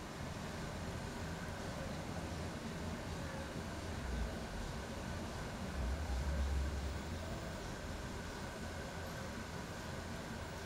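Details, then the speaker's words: HP laptop fan checked for a noisy, weird sound: soft steady hiss with a faint thin tone, fan now running quietly and evenly with no rattle, working perfectly. "so the fan is working the fine seems to be working perfectly now"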